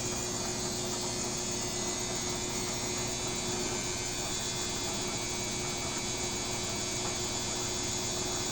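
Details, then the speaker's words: BWS24 washing machine running normally: even, quiet motor hum with soft sloshing, no knocking or banging. It moves slightly but lacks the loud unbalanced-load banging of the neighbour's Midea HealthGuard. "Mexe, mas não faz esse barulho todo que a outra fez."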